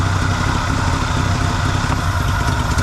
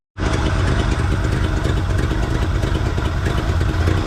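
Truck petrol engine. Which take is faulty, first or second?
second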